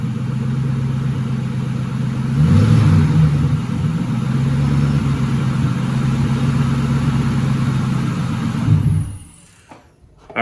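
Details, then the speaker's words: 1997 Cobra first start after an oil change, new coils and wires, and a carb-cleaner-cleaned throttle body, with a K&N intake and new fuel filter fitted. A slightly long crank, then a steady, even idle with a brief rev; running fine. "so far so good. Started up pretty good. It took a second for it to crank over because we had cleaned that throttle body, sprayed a bunch of carb cleaner up in there."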